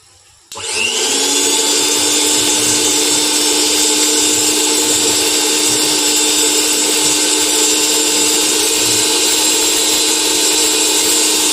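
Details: Bajaj mixer grinder after a motor replacement and 3-speed wiring, tested on direct line after a series-bulb check showed no short: the motor spins up and holds a smooth, steady high whine through speeds 1, 2 and 3, with no rattle or grinding.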